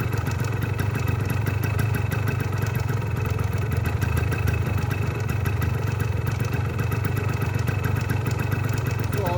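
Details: 1981 Yamaha DT175 air-cooled two-stroke enduro, carburettor tuned in 2016 and untouched since, inline fuel filter, started monthly: steady low two-stroke burble with an even crackly tick, no surging or hunting, idling cleanly; normal idle.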